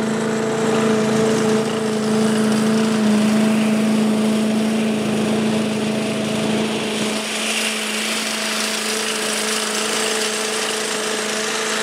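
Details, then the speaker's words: 1985 Billy Goat leaf blower, Briggs & Stratton 8HP, after carburetor cleaning, new spark plug, oil, air filter and fuel tank: a steady, even drone at constant pitch with no misses or surging. It runs well. "80 bucks it runs pretty good yeah real happy with that"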